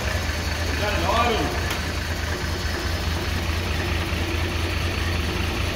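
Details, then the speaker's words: 1983 XE Ford Falcon 4.1L Crossflow EFI, sitting for years: first start after revival catches and settles into a steady, even low idle with no knocks or misses; normal start, exhaust heard from the back. "she's alive come round the back oh mate listen to that exhaust note"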